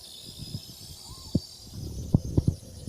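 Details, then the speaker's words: Old pre-transistor-era TV flyback transformer recovered after years buried in a flooded pond, run on two 6-volt batteries in series (about 370 mA at 12 V): steady high sizzling hiss with irregular low snaps, holding a working arc of about 3/16 to 1/4 inch. "And I'm gonna turn it on. Immediately you can hear an arcing. Got about 1/4 of an inch."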